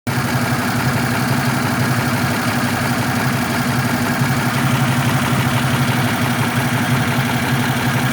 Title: my misfire?